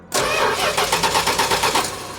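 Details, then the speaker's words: 1969 Plymouth Road Runner parked for decades: starter cranks in quick even pulses about two seconds, never catches; ignition module suspected, it ran after its ground was cleaned. "She is not. No. No. All right. No dice."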